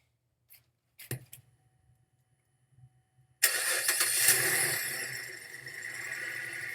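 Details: Used 2012 Chevrolet Malibu LTZ at auction with many stored codes and low coolant: quiet lead-in, then the starter catches and the engine settles into an even, steady idle; nothing abnormal stands out.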